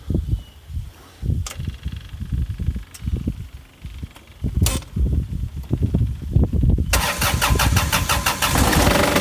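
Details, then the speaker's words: Yanmar/Kubota-type diesel in a John Deere F935 mower that suddenly began running badly while mowing, filters cleaned and fuel flow good: labored cranking, then hard rattling fuel knock, chugging, uneven beat, heavy black smoke; rough running, cause undetermined. "so it does run bad I was trying to show you the smoke coming out the tailpipes got heavy black smoke its chugging it's running bad it's got a little bit of a fuel knock it doesn't normally sound like that when it's running good"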